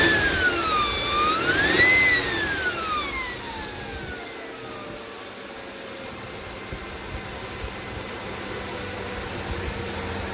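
A thin whine climbs and falls with the revs, then settles to a faint steady tone at idle, typical of a failing alternator.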